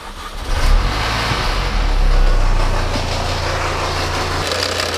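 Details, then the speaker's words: 2006 Mini Cooper S, 25,000 original miles: loud coarse buzzing drone at idle from loose, rattling supercharger pulley; pulley to be replaced with supercharger service, belts and tensioners. "so as you guys heard and seen the noise is coming from the supercharger pulley it's rattling it's loose it's it's really bad"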